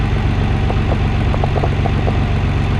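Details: Nissan 300ZX Twin Turbo after replacing ignition coil on rear cylinder, still cold in warm-up open loop mode: steady, even low idle with smooth regular pulse, no misfire stumble; feels smoother, old coil possibly weak; normal idle.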